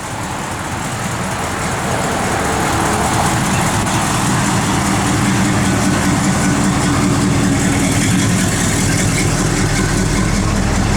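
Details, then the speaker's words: 1969 Plymouth GTX, matching-numbers 440 4-barrel V8, factory exhaust manifolds, new Flowmaster dual exhaust, 95,000 miles, idling: fast loose puffing tick on the exhaust note; suspected small leak at a manifold donut gasket on one side. "sounds like it's got a little bit of exhaust leak on this side probably the donut gasket I'm gonna guess"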